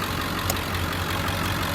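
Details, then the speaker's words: 2003 Ford F-550 XL utility truck, 7.3 L diesel, about 129,000 miles, automatic, warmed up about 30 minutes: steady, deep diesel clatter at idle with an even beat, no knocking or surging, then revved; healthy, smooth idle. "Engine sounds great. I'll rev it up a little so you can hear it. It's idling smooth."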